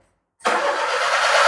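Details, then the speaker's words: Perodua Viva 850 three-cylinder engine, compression tested at 12, already hot after hours of running: silent, then it starts on the first crank and holds a steady, even run. Healthy normal start. "Kita akan start. Oke. Adakah dia one kick? Oke, kita start lagi satu kali."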